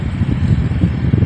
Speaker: Nếu mình gắn trong phòng á là mình sẽ không nghe tiếng gió nha mình nghe động cơ chạy rất là êm luôn nó giống như một cái chiếc quạt chiếc quạt hộp vậy á mọi người